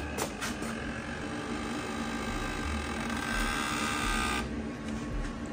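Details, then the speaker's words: Rivian R1S, about five months and over 6,000 miles old, parked and asleep: a long, drawn-out creaking groan as the phone key approaches. The maker says the air suspension is adjusting on wake-up; the owner thinks software could fix it. "car's been sleep and I walk up to it with my phone key the car creaks like my knees in the morning I asked Vivian what that was and I said it's kind of adjusting with the air suspension waking up"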